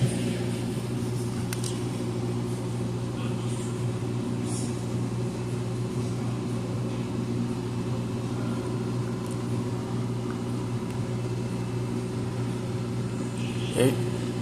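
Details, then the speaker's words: Amana front-load washer in diagnostic mode, empty load, spin test reaching what seems top speed, also testing the control board accelerometer: steady smooth low hum, no knocking or scraping; normal high-speed spin. "I think that's probably our top speed right there, so I'm not gonna let it run for a long time, so I'm gonna advance to the next test."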